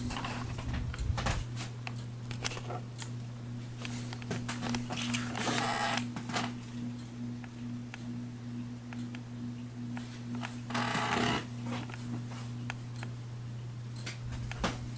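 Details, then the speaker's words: Heritage Furneaux ceiling fan, installed with the correct bracket and nearly perfectly balanced, making a steady low electrical hum with a buzzing tone. The motor hum grows louder at the lower speed settings and is most noticeable on low. "You can probably hear the humming sound that it makes. It gets louder on the lower speeds."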